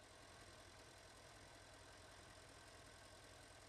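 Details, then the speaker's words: 2009 Porsche Panamera 4S 4.8 petrol V8 (294 kW), warm idle: slightly uneven, stuttering low beat from an intermittent cylinder 3 misfire despite new coil and plugs; vacuum leak present; suspected intake runner control or injector, compression to be checked. "Yeah, it stutters a little. It also has a vacuum leak, so that needs to be sorted first."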